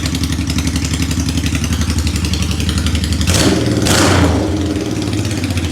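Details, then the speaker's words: Honda Shadow 750 V-twin just reassembled with the carburetor refitted, first start: an even, loping idle with two quick throttle blips, running much better with the idle not yet adjusted. "it runs so much better I haven't even touched the idle"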